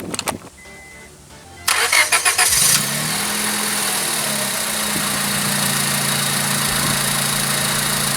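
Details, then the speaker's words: 2001-2005 Honda Civic just after a DIY spark plug change, battery reconnected: brief cranking, then the engine catches cleanly and settles into a steady, even idle with barely any vibration, typical for these engines; a healthy start. "It's barely vibrating. That's typical with these engines. So you're gonna have a little bit of vibration from these engines, but not a lot."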